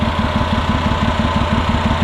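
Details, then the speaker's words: 2006 Mazda 6s salvage-auction car running rough: idle pulses unevenly with a lumpy, stumbling beat; cause not yet found. "It's running. Not happily, but it is running."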